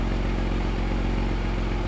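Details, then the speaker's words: Porsche Boxster flat-six with an electrical fault, running after fault codes cleared, reader showing no codes: smooth, even idle with steady low burble, no knocks, ticks, misses or smoke; healthy-sounding engine. "serious just sounds absolutely lovely lovely no smoke no alien sounds it just sounds wonderful"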